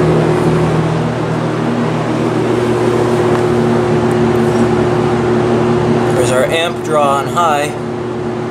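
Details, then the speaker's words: 1970s Lakewood S-223 box fan with Westinghouse 2.3 amp motor, warmed up, running on high: steady low electrical hum under the airflow at constant pitch, no grinding; motor hums noticeably after warming up. "not sure if you can hear the motor humming or not but it's quite noticeable"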